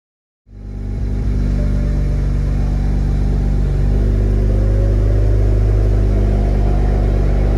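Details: BMW E90 335i with VRSF street catback: after fixing the 3.5" mid-pipe resting on the rear crossmember plate, engine starts into a deep, steady exhaust drone with no rattle or buzz.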